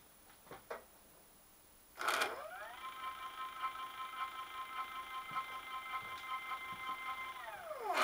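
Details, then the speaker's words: Stepper motor in full-step mode driving X-axis of 85-year-old Alba 1A metal shaper CNC retrofit: climbing whine with fine rapid chatter, pulley chattering as motor runs at its torque limit; bigger motor planned. "if you watched the pulley is chittering a little bit because the motor is right on the limit so we're going to fit a bit of bigger motor here and it should be fine"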